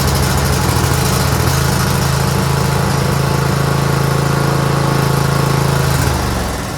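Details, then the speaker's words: Craftsman GT6000 garden/snow plow tractor at 26°F: steady single-cylinder fast-idle chug on choke, then sags and fades; runs well only at full to 3/4 choke, stalls past half; stale gas left in carburetor all year without fuel shutoff. "It runs only good when you're at full choke and then 3/4 choke. If you do it any more than half, it wants to stall."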